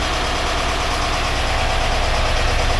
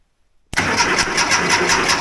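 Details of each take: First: 1982 air-cooled VW Vanagon Westfalia, restored engine running after starting problems were sorted; even, settled idle with a regular low thrum, no ticking, grinding or stumbling. Oil pressure light out, charging at 14 volts. Healthy normal idle. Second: 1982 air-cooled VW Vanagon Westfalia under restoration, coil unhooked, cranked via a switch with key off; starter spins in a steady quick rhythm but never catches. No start: no fuel because the fuel pump ground wire is disconnected.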